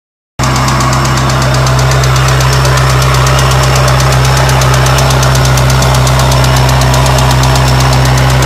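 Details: 1993 Mazda Miata: sharp, loud clack about four times a second, evenly timed at idle; owner unsure whether a failed hydraulic lash adjuster (HLA) or a serious bottom-end/rod knock. Cause suspected, not confirmed.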